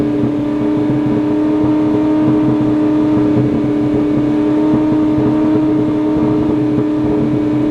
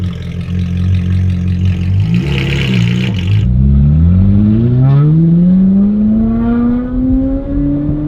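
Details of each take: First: Ferrari 458 idling very high on its own after surging, nobody on the throttle, battery pulled to reset: loud, steady high-pitched drone; owner suspects a dirty MAF sensor or sticking throttle bodies. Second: Ferrari 458 after battery disconnect to reset computers, following surging and very high idle: revs climb smoothly and return right to idle on a quick throttle tap, no stumble; possibly dirty MAF, running properly again.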